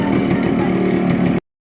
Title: Yamaha rx100 original silencer sound with loud noise and smoke